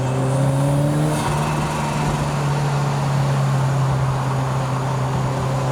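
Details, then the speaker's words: 1983 Lotus Esprit Turbo, oil on exhaust manifold, driving over bumps under load: strong steady low drone, clean even note, no knocks or rattles; healthy engine, idle fine after harsh throttle. "Here comes our first set of bumps. So it's 2 consecutive and then a big dip. That sound is great."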